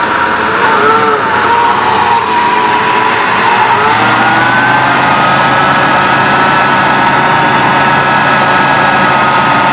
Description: When i hit the gas i get this whining noise. when i'm driving it's louder than my exhaust.